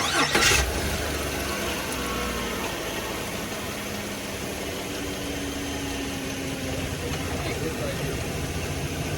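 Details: 2018 GMC Sierra started after a leaking heater hose was replaced, to watch the coolant level: quick crank, clean catch, then a smooth, steady idle with no knocks, squeals or stumbling. Normal start and idle.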